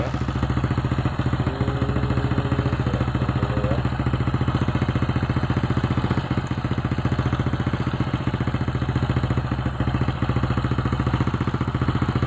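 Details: Old Honda Supra X (checked for a weakening spool/stator coil) at steady, even idle after a one-kick start on the used spark plug; regular beat, no knocks; battery 13 V engine off, 12.9 V running.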